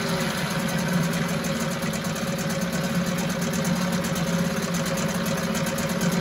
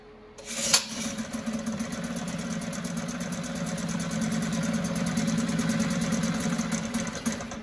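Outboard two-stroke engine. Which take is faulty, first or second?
second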